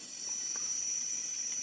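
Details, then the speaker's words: 40-inch OKI LCD TV with tube (CCFL) backlight, not entering standby: thin steady high whistle over soft hiss with main board and inverter cables removed; fault in the power supply board. "no hace nada y no escucháis El ruido que tiene voy a desmontarle y vemos a ver qué le pasa"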